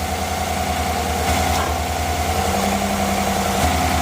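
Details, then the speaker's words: 2018 Chevy Suburban after an AC compressor clutch replacement, done without removing the compressor. An even idle with a steady compressor hum and no grinding, with cold AC and much quieter running; the old bearing was suspected to be failing. Normal AC compressor operation. "compressor's turning all right we got cold ac so uh i'm gonna go ahead and shut it down let's get the rest of this packed up everything's looking real good it's a lot quieter too"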